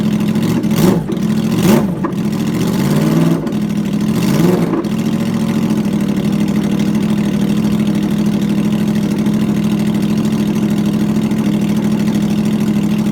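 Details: 2009 Yamaha R1 first start after rebuild with new connecting rod bearings and sanded crank, loud exhaust: a few sharp revs then steady even idle with no knocks; normal idle.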